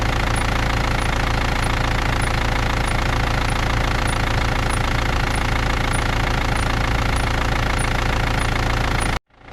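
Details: BMW E39 with M47 diesel engine, cold: sharp high chirp about every half second over a rough idle; cold-start squeak, cause unknown.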